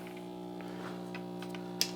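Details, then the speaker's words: 1960s Zenith MJ1035 AM/FM radio playing on AM with a steady low mains hum under everything that persists even with music. A capacitor problem is suspected. "okay so it actually works but it sounds like we probably have a capacitor issue or something an AM what do we get [Music] [Music] that AC hel does not go away even when there's music"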